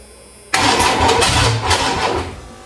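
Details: Newly built Ford 302 V8 in an F150 with Edelbrock Pro Flow 4 EFI, first-ever start, fuel pressure about 40–42, idle air control not yet set: quick catch, loud open-pipe roar, short rev, then settles toward a steady idle.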